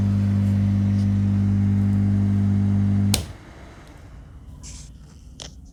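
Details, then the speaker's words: 5.2 Dolby Digital remote-kit amplifier with speakers connected, before rebuild: loud steady low hum drones through the speakers, then cuts out abruptly when the amp switches off; mains hum from faulty wiring. "విన్నారు కదండీ ఇప్పుడు on అయినప్పుడు మనకి humming noise ఎలా ఉందో అది బంద్ చేశాక close అయిపోయింది ఓకేనా"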